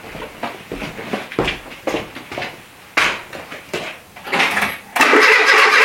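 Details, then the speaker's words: Renault Trafic with a rebuilt junkyard C1J S 7000 engine, unrun about 15 years: uneven cranking bursts, roughly two a second, with weak pops that never catch; ignition is 180° out because a gear is fitted reversed. "le pignon est à l'envers en fait ça s'allume ça s'allume de pendant qu'il y a le l'enrichissement"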